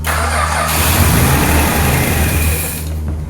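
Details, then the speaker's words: Australian roo-hunting ute with fuel pump, carburetor and exhaust newly hooked up, running off a jerry can: steady starter churning for a few seconds with no firing; cranks but won't start, possibly no fuel in the bowl. "We hooked up the fuel pump and the carburetor and the exhaust and whatnot, and now we're trying to get it to idle. So We're just running off a jerry can."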